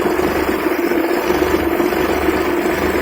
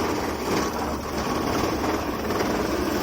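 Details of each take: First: Maruti 800 (1997) carburettor petrol engine idling after tuning the carburettor fuel adjustment screw; steady, even smooth low hum with no shake or stumble, vibration gone. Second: Maruti 800 (1997) carburettor petrol engine idling before adjustment; shaky uneven beat and buzzing vibration from mis-set carburettor fuel adjustment screw, fixed by turning it anticlockwise to smooth idle.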